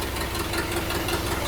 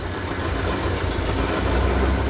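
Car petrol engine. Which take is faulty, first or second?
first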